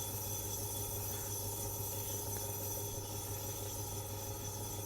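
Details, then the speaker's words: Scharnberg Strauss radiogram turntable motor after service and rebuild, running near 78 rpm: quiet steady hum with faint even whir, no grinding or wobble; working, speed pretty close though somewhat hit and miss. "It's a bit hit and miss, but um well, it's pretty close. There she is, guys. It's working."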